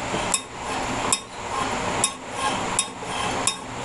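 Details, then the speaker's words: Briggs & Stratton lawn mower engine winding down: sharp metallic taps about once a second as bent governor linkage sheet-metal cover is drawn onto flywheel magnets; bend it away and refit correctly. "w you this as the motor winds down the magnet is turning around on the flywheel and this is sometimes the sound you hear a big clunk clunk clunk but this is what's causing it it's this little this little attachment right here that covers the govenor linkage"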